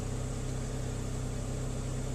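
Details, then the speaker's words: 2001 Saab 9-3 SE Convertible, 4-cylinder High Output Turbo, warming up at 39 degrees after water pump replacement: smooth, even low idle hum, the earlier rod-knock-like knocking gone, confirming the old water pump caused it; normal idle. "but if you listen that knocking noise is gone"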